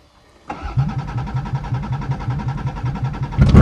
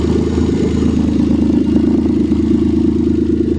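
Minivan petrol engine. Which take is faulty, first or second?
second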